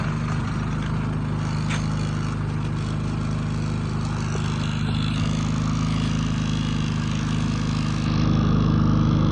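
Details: Predator 3500 inverter generator after oil, spark plug and air filter service, choke set to run, output verified with no load: smooth, steady low hum with an even beat lifting slightly near the end; normal running.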